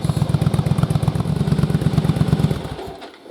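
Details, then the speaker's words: Yamaha Virago V-twin test rig on dual carbs with Jardine exhaust, idling about 1000 rpm, vacuums balanced, baseline before single-carb test: steady, even beat with regular firing pulses, no misses or rattles; normal running. "but with the Dual carbs on it the motor sounds really smooth really stable and we'll be able to compare that once we put the single carb on"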